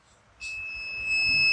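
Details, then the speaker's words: Bengali: mic coil removed and cleaned of dust, checked with clip-on meter on ohms across both coil terminals: clean, steady high continuity beep without breaking, coil and terminals intact. "যাক, আলহামদুলিল্লাহ, দেখতে পাচ্ছি আমরা মিটারের signal দিচ্ছে যে coil ওকে আছে, কয়েলের টার্মিনাল ঠিক আছে।"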